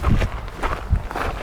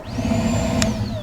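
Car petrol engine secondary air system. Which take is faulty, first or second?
first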